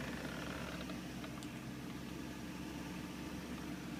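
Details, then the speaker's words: BMW E38 V8 (M62TU), 177,000 miles, cold morning start after sitting four days following timing guide replacement; smooth even low idle with no VANOS rattle or tick, no engine light; normal cold idle. "Cold start, morning, ready to go to work. It gets cold. 177,000 miles. It's a perfect start. No engine light."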